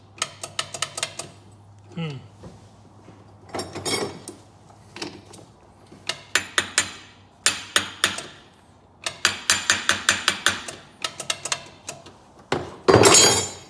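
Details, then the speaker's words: Polaris Ranger 500 4x4 after top-end rebuild: bursts of sharp clicks about four or five a second, no cranking; solenoid clicks but no power reaches starter, owner suspects bad solenoid. "I hear the solenoid clicking. Let me get my test light and see if I'm getting power to the starter. Let's try this again. No power to the starter."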